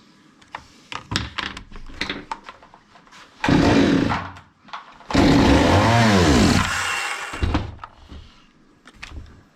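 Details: Zomax 5020 chainsaw after carburetor cleaning, wouldn't run or take throttle: clatter of handling, then saw catches and revs briefly twice, dying each time; stalling from incorrect mixture.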